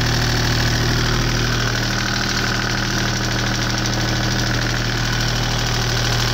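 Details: Deutz 2009L03 3-cylinder direct-injected diesel on a test stand, cold at about 52°F after start; even steady clatter at settled idle, no misses or odd knocks. Normal cold diesel idle.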